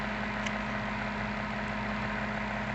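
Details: Maytag top-load washer control board on a bench test, with the actuator moved to the spin position and no tachometer connected. A smooth, steady motor hum with no knocking or grinding; spin runs normally.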